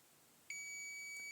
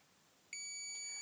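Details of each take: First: Continuity tester on a fluorescent tube's end pins: single sudden steady high beep, showing an unbroken path through the filament. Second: Multimeter continuity test on a 1940s Osram 5ft T12 80W fluorescent tube: a steady high beep for about a second shows continuity, so the filament at this end is intact; the other end's filament is broken.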